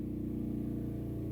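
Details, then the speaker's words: Gasoline generator charging a Tesla Cybertruck, load pushed from 29 to 30 amps: low, heavy drone with steady mid tone and slightly uneven, strained pulses; engine labouring under too much load, 30 amps judged too much, back to 29. "Okay, it sounds like it's struggling a little bit. Let's give it 30."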